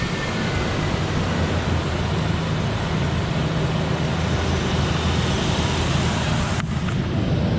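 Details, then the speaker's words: 2003 Ford Explorer XLT 4.0 V6 AWD after alternator replacement: smooth steady idle with even low hum, no whine, squeal or rattle from the charging system; charging 14.3-14.4 V, normal idle. "It's charging now. There's no noises. Everything looks great. Well, it's running great."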